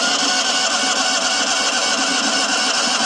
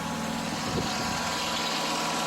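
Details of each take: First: John Deere 652R standard mower, hard start after sitting, possibly flooding: harsh, rough, high-pitched roar over the engine at steady speed; stretched drive belt lets the tensioner pulley rub the hydro pulley, plus an overheated PTO clutch. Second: John Deere 652R mower engine after replacing a badly stretched drive belt, run with the overheated PTO clutch removed to check for other engine noise: steady, even note with constant hiss, no knocking or squeal; normal idle.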